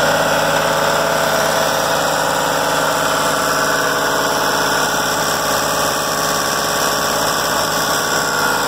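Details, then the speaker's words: 2004 Jeep Grand Cherokee 4.0 inline-six, lifted, just bought as junk, oil black: very loud, raw, uneven idle with open exhaust, plus something more than exhaust noise clearly going on, cause unknown. "so very loud not just the exhaust but something going on something is definitely going on"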